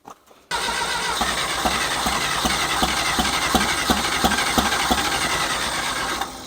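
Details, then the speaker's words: John Deere 1010 tractor with new Zenith 12566 carburetor, rewired ignition, new spark wires. Steady cranking about three beats a second that never fires; no spark, traced to a bad key switch terminal, cause suspected, not confirmed. "Alright, I don't think I'm getting spark to my sparkulators."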